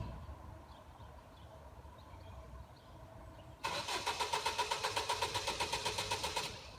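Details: Car that won't start after work, recorded quietly outdoors: about three seconds of even starter cranking, roughly four turns a second, never catching; cranks but no start, cause not confirmed.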